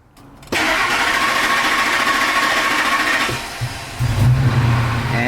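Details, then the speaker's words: 2003 Ford F-150 5.4L, lost power on freeway, runs rough, check engine light, lean condition (long-term fuel trim 30): after reconnecting DPFE sensor lines, starter churns several seconds unevenly before catching; still long crank, hard starting. "still got a long crank time all right let this run for a little bit"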